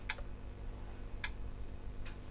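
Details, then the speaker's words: Sharp relay clicks about a second apart over a quiet hum as a Panasonic SA-BT330 Blu-ray home theatre keeps switching on and off, flashing F76 error: power supply fault. "it is turning on and off turn the light off so you can see a bit better so you got please wait and it flashes up f76 really quickly and goes off so it looks like it's still got a problem with the power it's got a power issue problem"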